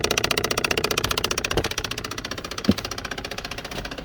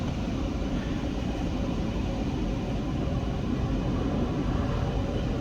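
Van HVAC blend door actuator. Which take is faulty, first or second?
first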